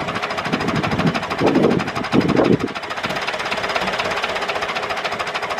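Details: David Brown 996 diesel tractor, sitting about 10 years, first run after storage: even idle clatter with a steady beat and a couple of louder thumps early on; normal idle.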